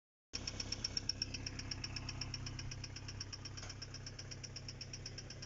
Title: Стук в двигателе